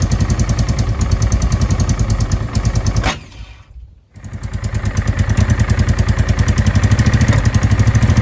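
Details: Honda Deauville NT650V5 after changed spark plug caps, cleaned plugs, fuel confirmed in both float bowls, new battery; lumpy uneven idle with brief dropout and restart, still popping and backfiring, timing needs adjusting, owner suspects it's full of dirt.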